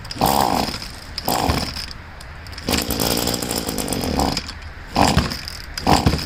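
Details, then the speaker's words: Poulan two-stroke leaf blower being winterized after draining the tank: on choke, toggling choke on and off, it bursts to life and dies in uneven spurts as the last fuel leaves the primer bulb, carburetor and lines; running out of fuel. "Okay, I can feel that all the gas is out of the primer bulb, so I have it on choke now. I'll try to start it up again. I'm just going on and off with the choke."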